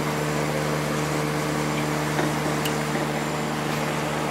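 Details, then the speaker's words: Late-90s 40-pint Whirlpool Accudry dehumidifier, Embraco reciprocating compressor, Emerson fan motor, many hours, cover off: constant low compressor drone with steady fan air and light handling clicks; runs very smooth, normal operation. "Let me turn it on real quick. Runs very smooth. This thing has a lot of hours on it."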